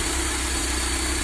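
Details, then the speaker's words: Mercedes-Benz W201 190E with KE-Jetronic injection, previously unable to hold idle. Idle is now largely stable at good temperature but has a slightly uneven beat; it burns a lot of fuel. Owner is unsure of the cause and is setting the potentiometer. "but it just burns so much fuel as you can see in the back so i'm not really sure what to do"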